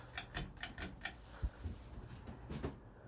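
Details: Ceiling fan with a bad capacitor turning slowly, high speed only reaching low-speed pace, with faint motor hum and steady light clicks; failing capacitor.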